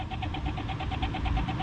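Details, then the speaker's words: Fiat Panda 4x4 1.2 8V with the engine off: the radiator fan keeps running after an earth-wire fix and gives a rough, pulsing whirr, about six beats a second, over a low hum. The owner suspects the fan motor and may replace it. "I wouldn't call that a happy bunny"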